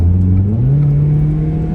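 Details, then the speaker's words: 1989 Toyota Corolla DX, 34 years old, original owner, on a test drive: steady engine drone under acceleration with a deep, slightly rough note rising as it pulls; a small muffler leak, otherwise runs and drives well. "So just a bit of a muffler leak, but other than that, it runs and drives perfectly well."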